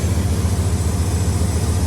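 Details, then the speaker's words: 1994 Dodge Ram 1500, just got running after sitting: low, fast, pulsing rough idle with a slight rotating thump that rises with rpm; owner suspects a vacuum leak or possibly the cap, not engine knock. "sounds like it's got a vacuum leak. Yeah, it got a little little thump to it. That sounds like it's rotating."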